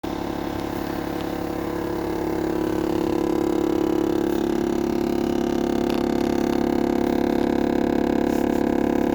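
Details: 2022 GMC Yukon SLT Duramax diesel has a loud buzzing rattling vibration with a mid-pitched drone from under the center console near the floor, felt through the floor; it started last winter and is getting more frequent.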